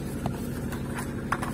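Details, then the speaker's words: VAZ 2110 8-valve injector, previously no idle and no start without gas pedal; after replacing the idle air control valve, started and revs rose, low steady hum with no surging or dips; normal idle. "ура завелась подняла обороты ну прелесть"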